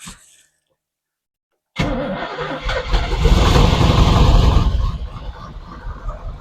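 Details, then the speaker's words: V8 Camaro after in-car exhaust manifold repairs, exhaust held with zip ties: cranks, fires, blips up strong, then drops to a deep steady rumble, much quieter than before, no ticking or leak; normal idle. "It's running. Quite a bit quieter than it used to be. Sounds good."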